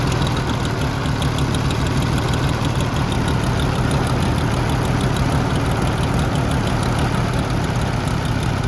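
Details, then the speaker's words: Long-dead Oliver 70 tractor just revived, with the idle and high-speed jet screws being adjusted: low, lumpy, loping idle with uneven firing. Some cylinders are possibly not picking up; the temperature gauge reads 134–145 with no overheating. "I think that's it trying to pick up cylinders but I'm not sure about half thrt I'm messing with the uh idle screw right now for the high speed jet right now give it full Ronald"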